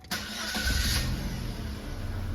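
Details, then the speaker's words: 2012 Holden Barina, 1.4 L EcoTec engine, after replacing the intake VVT solenoid for a startup misfire: clean crank that catches quickly and settles into a smooth, steady idle with no misfire, knock or stumble. Normal start and idle. "certainly is starting smooth now"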